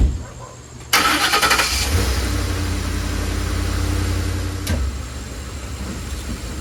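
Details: Ford F-150 just after an AC compressor replacement, with the belt reinstalled, no refrigerant, and the clutch pigtail unplugged. Cranks briefly, catches and settles into a smooth, even idle with a steady low hum. Healthy.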